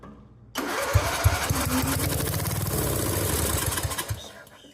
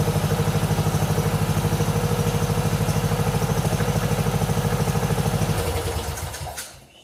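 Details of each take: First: 1997 Mastercraft (MTD) 38" lawn tractor, 12.5hp Briggs & Stratton single, parked outside for years, low on oil, throttle wide open on starting fluid; cranks, runs roughly about four seconds then dies; carburetor full of brown-yellow varnish likely needs cleaning. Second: 1997 Mastercraft (MTD) 38" lawn tractor, 12.5hp Briggs & Stratton single, parked outside for years, on choke from a hose fuel reservoir while low on oil: even chugging about three beats a second, no misses or knocks, then winds down and stops; healthy.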